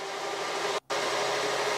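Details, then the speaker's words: Micro-hydro turbine, first start of the season after replacing a blown clear hose, one nozzle open: a steady rush of the jet on the runner. Back to full dynamic pressure, only about 2.5 psi lost; running normally. "yeah there it's going i put on a new i put on this other hose so i was pressure testing that too we're back up to full pressure or full dynamic pressure"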